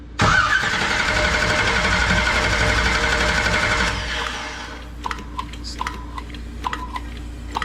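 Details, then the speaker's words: 1969 Camaro with 496 big block, first start attempt: several seconds of steady starter churning with no firing, then it stops; cranking dry, no fuel at the carburetor yet. "still no fuel yet what's going on guys"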